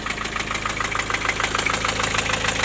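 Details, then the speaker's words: Four-cylinder diesel at idle: sharp, regular knock keeping time with the idle. After the injectors were ruled out and the valves suspected, the cause proved to be a loose piston in cylinder four with almost 1 mm of play. The block needs boring. "а стук был вот из-за четвёртого там поршень просто болтается"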